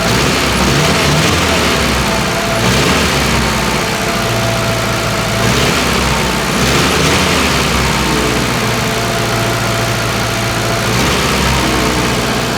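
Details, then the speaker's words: Żuk engine after head rebuild for wrecked valve seat and bent pushrods: fairly even steady idle without misfire stumble while an ignition component is held in position; when it moves it runs badly, so new leads are wanted. Suspected, not confirmed. "yeah with that in that position it runs great it's just a while that it's a bit bad now"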